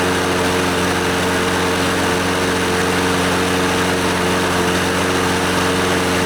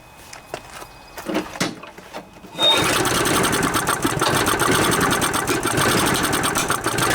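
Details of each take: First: Scotts lawnmower, Briggs & Stratton 6.5 HP OHV Intek Edge engine, after carburetor and fuel-system cleaning and a new NGK BKR5E spark plug: steady, even drone with a constant note and no misses or surging; it runs well and is considered fixed. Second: Scotts mower with Briggs & Stratton 6.5 hp OHV Intek Edge engine, sat outside over winter, sprayed with starting fluid into the carburetor throat: ragged sputtering run for several seconds then dies; engine good, carburetor plugged.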